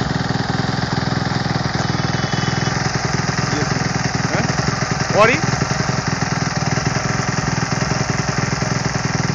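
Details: 2008 Kawasaki KX250F after overhaul: even single-cylinder thump at idle with one quick throttle blip that settles cleanly; running healthy.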